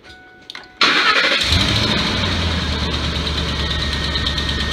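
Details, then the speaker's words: 2004–2008 Ford F-150 5.4L after alternator and drive belt replacement: cranks, catches and settles into an even idle with no belt squeal, chirp, noise or vibration; alternator charging at 14.2–14.3 V. "So it is functioning. It sounds good. There's no noise at all, and there's no vibration. So it's tight."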